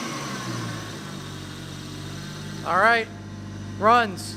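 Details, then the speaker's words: Toyota Aristo turbo engine after new 4-inch downpipe, recirculated wastegate dump and heat blankets fitted, valved exhaust quiet when closed; steady even low idle, no knocks or misses, two brief rising-falling tones; normal idle. "Sounds good. The valved exhaust is great. It's super quiet when it's closed."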